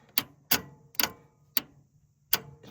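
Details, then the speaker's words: Willys Jeep Hurricane engine, starter reinstalled, cranked with exciter wire; sharp dry clicks at uneven gaps with no cranking, starter trying to engage; owner fears flywheel damage; starter clicking, no crank. "Let's take this excider wire and just see if she'll crank on us. Huh? Let's see. That's a big N O."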